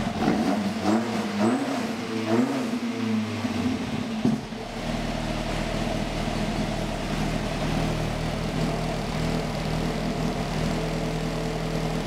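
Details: Ford XR2 crossflow engine freshly fitted with Omex individual throttle bodies catches and revs briefly, then drops to a steady, even idle with no misfire or stumble; a clean healthy start.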